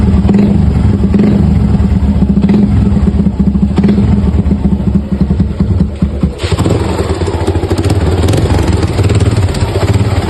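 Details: Suzuki motorcycle idling: hollow clatter riding on the engine beat, then a throttle blip; suspected piston slap, unconfirmed.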